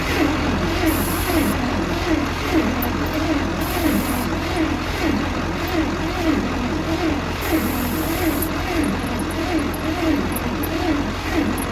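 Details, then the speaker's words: Bantam truck crane sat for years in quarry, jumper cables from truck, choke, throttle and carb cleaner tried: labouring starter churning under one beat per second, engine catching faintly but never running; cranks, nearly fires, won't start. "So freaking close to lighting off. You can hear, but it just doesn't want to go no matter what I do with the choke, throttle, carb cleaner, hand choking it."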